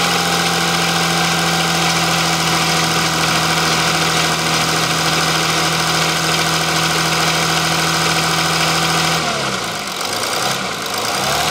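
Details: Audi engine run warm, rattle still present; a workshop mechanic earlier found unlocked camshafts, and a buyer suspected an earlier engine swap or failure. Engine ticks over with a light metallic rattle, fairly steady, then the revs drop; source unclear.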